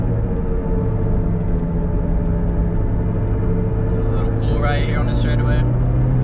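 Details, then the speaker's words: 2009 Chevrolet Cobalt SS turbocharged, stock, at highway speed around 100: steady low drone holding one pitch under road roar; no wheel wobble; wheel bearing hum. "Granted, you got to deal with that sound of the wheel bearing, but a lot of people will probably think I shouldn't be driving it like that, but there's no wobbles to the wheel bearing or anything. It just really makes noise."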